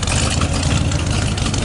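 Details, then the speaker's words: 1976 Chevy square body 4x4 pickup with a big-block V8, on a cold or lukewarm start after a loose connection was snugged up: deep, steady rumble at idle, even beat with no puffing or ticking; a smooth, healthy idle. "It is a cold start, folks, but you know what? I don't think it will die."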